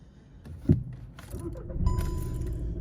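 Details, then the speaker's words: 2011 VW Golf Mk6 2.0 TDI 140 after new battery fitted: short crank catches promptly into steady diesel idle, no dragging or hesitation; starts much nicer, normal start. "can hear that it does start a lot nicer."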